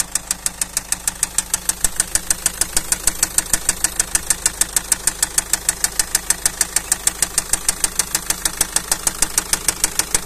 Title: فيديو صامت فيه مشكلة صوت خبطة, طقة, تخبيط ,طقطقة, فى محرك السيارة